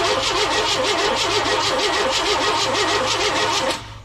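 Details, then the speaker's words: 1998 Chevy C1500 work truck with a borrowed battery: starter cranks steadily at about three pulses a second but it never fires; no output from the coil, so a bad coil is suspected, not confirmed. "again I got nothing out of the coil so I got no power coming from the coil so I wonder if we got a bad coil"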